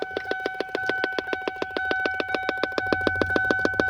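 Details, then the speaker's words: 2002 Lincoln LS8: sharp rapid pops about three and a half per second through the dash speaker while driving or key on, traced to an aftermarket device behind the dropped dash panel. "Alright, so this sound, that popping noise happened while I'm driving / and or key in the on position."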